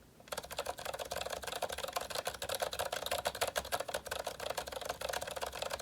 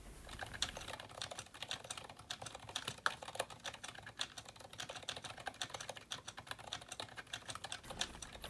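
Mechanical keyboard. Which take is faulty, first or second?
second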